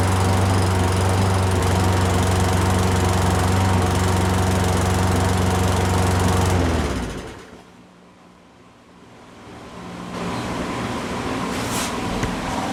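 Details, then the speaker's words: Poulan Pro mower with Briggs & Stratton 550EX engine, said to have a broken piston, oil-saturated deck, started on starter fluid: small single thumping lumpily about four beats a second then stalling, smoking heavily; rough running from badly overfilled crankcase oil, carb also needs cleaning. "it's running but it's running rough but it runs so much for it being a broken piston"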